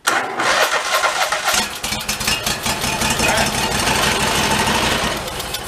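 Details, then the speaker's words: 1991 Craftsman GT garden tractor with a rodent-chewed air cleaner, cranked with fuel squirted into the intake: it catches and runs rough and uneven briefly; fuel starvation suspected, not confirmed. "let's go shoot a bit of fuel in there we'll crank it again see if she'll cough over"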